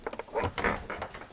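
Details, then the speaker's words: Lada Vesta door check strap squeaking: short, irregular creaks and squeaks as the door swings, coming from the plastic strap; it is to be wiped dry and lubricated with heat-resistant grease. "тяги да вот она скрипит это она же у нас скрипит"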